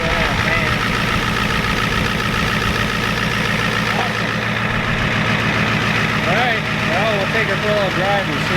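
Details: 1993 Ford F-250 7.3 IDI diesel idling after the injection pump was turned up a little: steady, even clatter with a regular beat and no misses or knocks; sounds better, burns a little oil, with a coolant leak noted.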